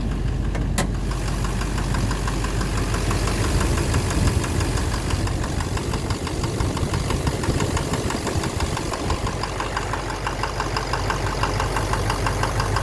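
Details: 2009 Silverado 3500 Duramax LMM diesel dually, 59,900 miles, idling: regular knock about two per second keeping time with engine speed; owner suspects back of the bottom end near the oil pan, cause unknown. Oil analysis shows no abnormal wear; intermittent since 57,500 miles.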